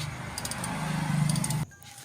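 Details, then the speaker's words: Clutch release bearing found loose; engine idling with a low droning hum that swells whenever the clutch pedal is pressed, traced to the loose release bearing. "Nah ternyata bearingnya longgar ini harus PR sobat ya jangan seperti ini ini akan menimbulkan ee suara selagi kita injak koplingnya atau pedal koplingnya sobat ya"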